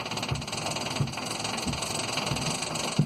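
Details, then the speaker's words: Quest velomobile with new all-plastic Nazca power-side idler, new bearings, original KMC 9-speed chain, rear jacked up, small chainring: steady rushing chain clatter with soft knocks about every 0.7 seconds; noisy chain idler. "But it makes a heck of a noise."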